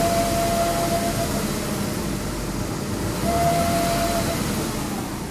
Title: 2002 GS300 whining noise